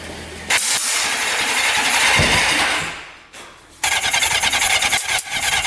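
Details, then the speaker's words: Suzuki Quadzilla quad with swapped KZ 750 engine, bought for $300: harsh, ragged running with stumbles and drop-outs; timing off because the green and red pickup coil wires for cylinders two and three are suspected reversed. "so timing's got to be off the green and red wire from the pickup coil that controls two and three so I think we have ours backwards"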